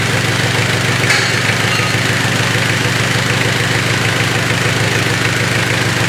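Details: Mitsubishi Triton 4M40 diesel engine after overhaul: even, steady idle clatter with no knocks, misses or rough patches. Normal idle.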